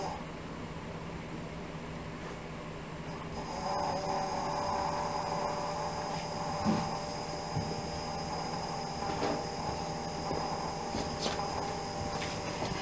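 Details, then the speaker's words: 1969 Volkswagen Type 3 Fastback electric fuel pump, zip-tied and expected to rattle, switched on with the engine off while the fuel tank is out to replace leaky hoses and check for leaks: a steady fast ticking hum with a faint buzz, pumping normally. "Oh where you can hear the rattle the fuel pump he'll I just have zip tied right back up here so it's for sure it's gonna rattle"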